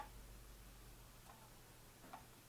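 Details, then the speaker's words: Logitech MX Master 3 mouse, electromagnetic scroll wheel grinding after a month of use: held upside down, only faint light ticking while scrolling; owner suspects the wheel rubs something inside when right-side up. "you can't hear it right i'll bring it closer to my form and you can hear a little bit of noise but it's nothing like it was before"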